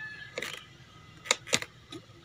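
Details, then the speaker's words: Honda Beat FI (injection) scooter that won't start, with no spark from coil to plug and no fault code on the indicator lamp. At key-on with the engine off, a few sharp light clicks. Normal injector click showing it is getting current. "oke teman-teman kita tes untuk on Oke ini bunyi ya bunyi injeksinya tuh"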